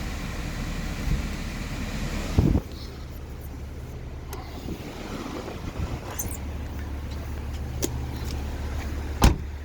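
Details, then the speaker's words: 2009 BMW 128i convertible, 155,000 km, pre-purchase inspection after raising the top: a steady low motor hum at even pitch as all the windows travel up, with clean start and stop thumps; the power windows work normally. "so there we have it and the windows all do go up as well and put them all up so you can see"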